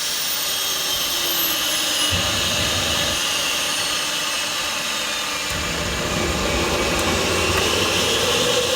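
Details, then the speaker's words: Rover gas turbine, not run for a while, on a KC-135 pneumatic starter: loud steady rush of starter air with no light-off; spins but never fires. Cause unconfirmed, possibly electrical or high-pressure shut-off valve. "well folks that was all a bit disappointing anyway we packed everything away and uh i'll just have to try again the rover unfortunately refused to play ball today"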